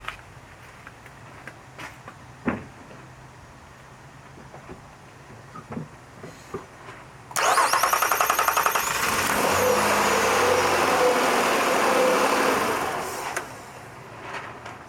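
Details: Starter churns steadily for about six seconds before the engine barely catches, then fades; extended, hesitant crank, a symptom of a possibly failing crankshaft position sensor, not confirmed.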